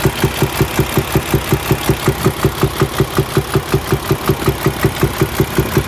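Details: Paccar diesel truck built January 2019, within the late-2017 to August-2019 defective-cam range (E265 service bulletin); even, sharp knock about 160 a minute over the diesel idle: wiped camshaft, awaiting recovery.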